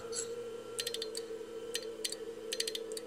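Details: Walford Electronics HF linear amplifier kit driven by a K2 into a power meter and dummy load: rapid sharp T/R relay clicks over a hum with QSK keying. Relays cope at 18–20 wpm, but running at 30 wpm damaged them.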